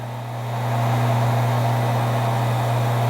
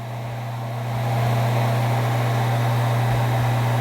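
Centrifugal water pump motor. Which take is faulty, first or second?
first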